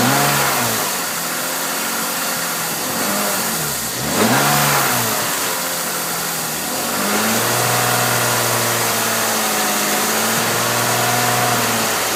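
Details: Engine idling and revving with a raspy hiss and puffing on the exhaust note; header exhaust leak located using Seafoam.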